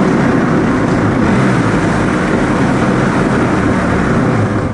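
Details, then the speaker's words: 1993 Yamaha WaveRunner 650LX running after an engine unseize and new carb, with an uneven metallic rattle from the jet drive; owner suspects impeller driveshaft play needing a bearing rebuild, unconfirmed. "that was actually really obvious that night so the impeller driveshaft I know if there's a ton of play in it it needs to be rebuilt"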